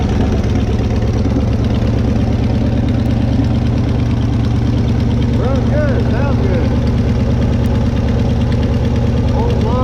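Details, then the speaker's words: Old revived car engine after sitting, oil, Marvel Mystery Oil and PB put down the cylinders, burning off smoke; steady even low rumble at idle with a regular beat, no knocks or misses; sounding good, normal running. "got her fire up last night i know y'all couldn't see it too good but she did fire up she's sounding good"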